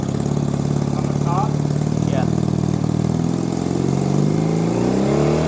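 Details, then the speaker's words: 1965 Honda CB160, 161cc parallel twin, during carburetor idle adjustment: lumpy idle whose revs climb on their own without throttle; surging high idle, cause not found. "We got it idling kind of, but it's wanting to rev high. So, we're still adjusting it."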